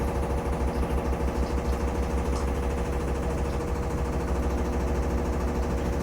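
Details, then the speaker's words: Samsung FlexWash upper washer on Delicates cycle spin, almost as fast as normal cycle: machine visibly shaking with fast steady low thumping about three beats a second; banging of unknown cause, not hitting the dryer an inch away. "You can see the machine is shaking. You can hear it too. Again, I got no clue what that banging sound is because, like, it's not hitting the dryer."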